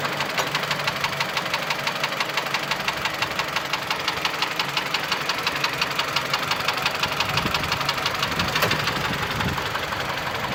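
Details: Mitsubishi Lancer X 2.0 (4B11) knocks constantly at idle, cold and hot: a sharp, steady tick about three per second standing out over the engine hum. The knock disappears with the air conditioning on, returns when it is off, and partly fades at higher rpm. Cause unknown.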